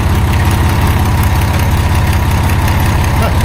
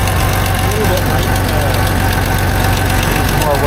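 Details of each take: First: 1989 Dodge W100 after tightening a leaking exhaust pipe joint: a low, even idle thump with no puffing or ticking from the exhaust. Now runs noticeably quieter. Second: 1989 Dodge W100 at idle after exhaust pipe welding: rapid uneven tick or puff over the low rumble, about four a second; suspected exhaust leak near the O2 sensor, not confirmed.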